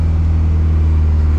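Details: KA24DE-swapped Nissan 300ZX Z32 at start-up testing after rewiring: deep, steady low hum with no stumble or misses. The engine idles smoothly and evenly.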